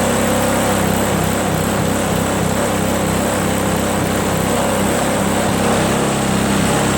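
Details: Craftsman 522 4-cycle single-stage snowblower on a very cold day, after draining water from the gas tank, cleaning the carburetor and replacing fuel lines: small single buzzing steadily, no misses or surging; normal running.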